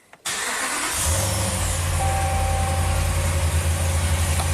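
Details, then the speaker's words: 2014 Ram 1500 Hemi V8 at 113k miles, in limp mode with codes P0016 and P000B: it cranks, catches and settles into a lumpy, uneven idle. Rough running, with a cam suspected out of time, not confirmed. "Yeah, it sounds terrible."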